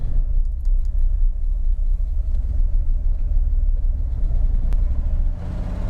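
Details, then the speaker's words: Abandoned, stripped 1989 Bentley Turbo R V8 running about 10 minutes: a deep, lumpy idle that stumbles unevenly, with idle dropping and rough response to throttle. Engine misfire; owner suspects a fouled rear spark plug, unconfirmed. "It's been running now for 10 minutes. There's a definite misfire."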